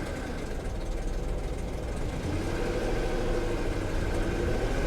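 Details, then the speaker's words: Salvage-auction car at idle after A/C switched off: steady faint whir under the engine, sounds bad but not like timing chain rattle; owner suspects a belt tensioner or idler pulley bearing, unconfirmed. "you hear that that noise just sounds bad it doesn't sound like the rattle of a timing chain though maybe a belt tensioner idler"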